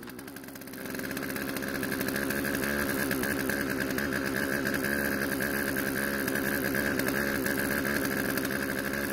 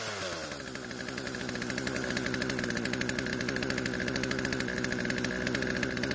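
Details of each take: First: Poulan chainsaw out of storage, after carb adjustment, chain tensioned and sharpened; catches after a second, then steady even buzzing idle, no stumbling; idle speed needed adjusting to stop chain creep. Normal idle. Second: Poulan chainsaw that would not start after storage, running after old fuel was drained from tank, lines and carb and fresh mixed fuel added: settles into a fast, busy buzz instead of a slow idle. Idle speed too high, chain keeps moving.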